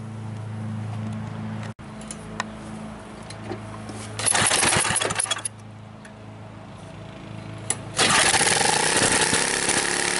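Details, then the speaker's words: Ariens front-tine tiller after its gummed-up carburetor with leaking float was replaced by a new one, adjusted, and run without an air filter: fires right up into a steady putter with louder rev bursts; normal running. "as you can see fire right up so now I'm gonna go till the garden a little bit see how it works"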